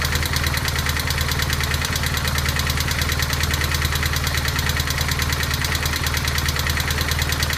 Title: 1200gs clatter noise